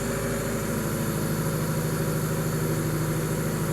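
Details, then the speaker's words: Donor engine just installed in an EM2, running on a second start; the only issue is a new battery probably drained by long cranking. Quiet, steady idle hum with even firing pulses, no tapping or stumble; sounds good. "All right, you can shut it off. All right, everything sounds really good. Started right up, other than the dead battery problem."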